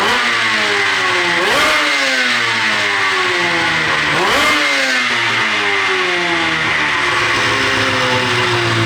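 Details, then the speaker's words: 13-year-old race two-stroke snowmobile revved with drive belt removed, on pump gas not race fuel: revs climb in two blips then sag back without crisp pickup; bog persists without belt, owner suspects sticking power valve. "we're going to see if the bog is consistent you know even without a Bel on it"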